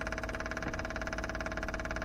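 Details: Daytona 4WD, new temporary fuel system with lift pump, surge tank, booster pump and adjustable regulator: rapid even pulsing whir at steady pitch over a low hum; lift pump running normally, priming the line.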